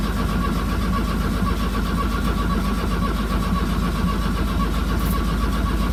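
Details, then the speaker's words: 1982 VW Vanagon Westfalia with new battery, glow plugs and starter, chilly day: uneven, labouring cranking about twice a second with no catch; sounds like battery still weak, jumper cables next, later the ground cleaned. "so right now it's turning over but it sounds like the battery's still weak"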